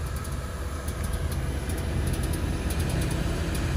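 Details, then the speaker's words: Stewart Warner South Wind gasoline heater (1946 setup) in a 1941 Plymouth, fully lit and hot: a steady low roar with an even, slightly building rumble. The ticking heard while igniting at startup has stopped. Running properly. "now there is a ticking noise that you will hear when it first starts up and that is actually uh telling you that it is igniting and normally once it's fully ignited and really hot the ticking noise will go away"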